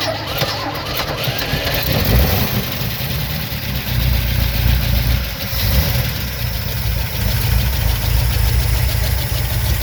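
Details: 1971 Ford Ranger camper special V8 with two-barrel Holley carb, previously broken down for years, catches and settles into a deep, steady rumble with no knocks or misses; even healthy idle.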